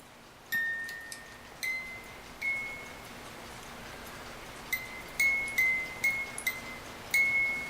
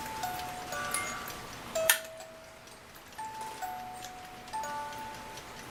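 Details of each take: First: 1950s German-made Reuge wind-up ballerina music box alarm clock, opened for oiling; only scattered faint plinks with long gaps while being helped along, mechanism dragging; gummy dried old oil in movement, cause not confirmed. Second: 1950s German-made Reuge wind-up ballerina music box alarm clock, tune possibly Vienna Life Waltz; clear plucked notes over a soft steady tick after reassembly, alarm tune and movement working normally.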